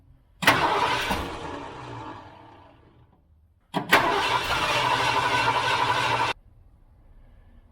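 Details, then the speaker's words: 1978 Ford F-350 crew cab long bed parked 11 years, cranking after priming attempts: two long bursts of even starter cranking and it never catches; the mechanical fuel pump delivers nothing and will be replaced with an electric one. "I ain't seeing nothing out of that bastard ain't seeing nothing out of this mechanical pump"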